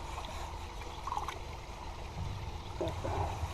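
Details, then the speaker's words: Koi pond automatic water feeder running as a newly added pre-filter slows water flow and drops the water level at the pump: steady low trickle and gurgle of water topping up the pond. "This is the automatic water feeder, and what's happened is as I'm putting this in, it's slowing the flow of the water down, and by slowing the water down, it's going to be dropping the water level on the pump."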